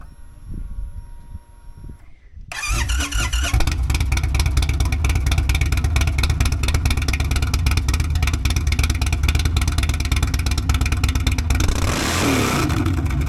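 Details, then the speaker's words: Indian Sport Chief V-twin with Lloydz 585 cams, Lloydz intake, Sawicki Speed exhaust and a Lloydz tune: a quick crank, then it catches into a deep, lumpy V-twin beat that stays even and strong; a healthy, well-tuned start and rev. "And other than that, we did the LLOYDZ tune. And this thing sounds like a rape tape, man. I mean, it's pretty awesome."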